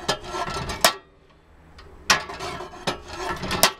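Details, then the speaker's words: Makita 2414NB miter saw after fix: guard squeak when lowering blade cured by mounting a plastic furniture wheel with M4 screws; head now moves silently and smoothly, only soft rubbing and stop knocks. "но закрутились всё держится и вот теперь оно совершенно бесшумно и плавно ходит"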